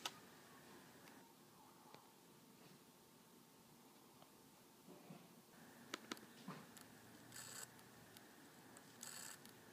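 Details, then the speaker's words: MacBook hard drive failing: quiet whir with scattered sharp clicks and tapping as the read/write head and motor struggle to access data, click of death; drive needs replacement. "yeah and what that clicking uh and little tapping sound is that's the read right head and motor trying to access the drive but struggling and so I'm pretty sure the drive is failing"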